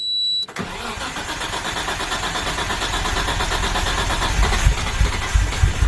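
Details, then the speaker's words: Nissan R33 Skyline cranks and catches, then idles with an uneven, stumbling beat and dropping pulses; cylinders four and five still dead after a coil pack swap test, so the coil pack is good; misfire. "i think that coil pack may be dead oh no definitely made a difference with that ball pack so okay so it's still four and five that are gone which means that the coil pack right there is good"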